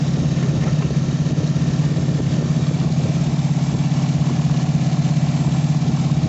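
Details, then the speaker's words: 1988 Chevy S10 during rebuild, engine idling while warming up with the cooling system being burped of air and the O2 sensor unplugged: steady, even low idle with a smooth regular pulse and no knocks or ticks; normal idle. "we're letting the air bubbles come out of that and out of here so it warms up i had to burp it a few times but i overfilled it [Music] sounds good"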